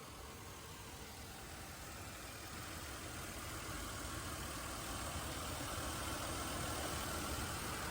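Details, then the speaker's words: Buick Rendezvous flooded by saltwater in Hurricane Ian, with no tune-up (original plugs and wires), running at a quiet, smooth, even idle with no knocks or misses. Normal idle. "everything works great and you can hear just how nice it runs you really can't hear it running that's how smooth it runs look at how nice she runs"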